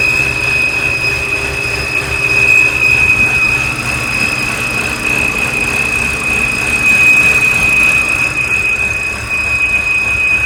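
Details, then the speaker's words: BMW E90 N52 petrol engine idles with a steady, thin high-pitched whistle over it; belts were the first suspect, but the cause is a faulty oil filter. "so for today what I'm gonna try to do is figure out what this high pitch whistling is the easy thought is that that whistling could come from one of the belts or something like that"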